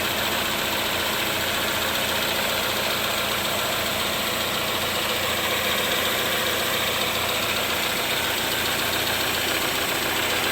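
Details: 2011-2015 Chevy Cruze 1.8L after timing cover, gasket and water pump replacement for oil in coolant, burning off spilled oil: smooth even idle with steady hum, no knocks, ticks or misses; normal.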